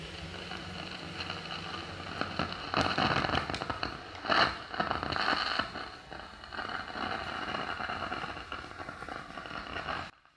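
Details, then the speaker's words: Amplifier with equalizer, volume turned fully down: irregular crackling and scratchy bursts from the speakers; caused by worn, dirty equalizer control potentiometers, a common fault on such amps. "ඔයාලට පේනවා ඇති volume උඩරිම අඩු කරලා තියෙන්නේ වුණාට මේකේ speaker වලින් ජරබර ගාලා සද්දයක් එනවා."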